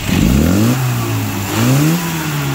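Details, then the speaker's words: 1980s Mini with a Swiftune-built 998 engine, after tuning with a new distributor and advance curve and custom carb needle profiling at 4,000–5,000 rpm: crisp throttle blips rise cleanly in pitch and settle back to idle without stumble or hesitation; a healthy, well-tuned engine. "like I said I had to put a new distributor in with a new curve so this thing now hauls ass"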